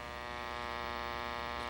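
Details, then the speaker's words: 1957 RCA 8PT7034T personal tube television under repair, speaker hooked to vertical circuit: steady buzzy tone full of overtones, vertical oscillator running at double speed, picture doubled over and very dim. "and you can hear there that it's running really at double speed"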